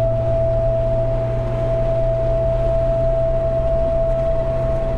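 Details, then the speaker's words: Jeep TJ with a light bar mounted on the roof/windshield, driving at speed: a steady, high, thin mosquito-like hum or whistle over the road rumble, from wind noise around the light bar. "it usually has that that really annoying like mosquito buzzing noise constantly when you're on the highway at speed"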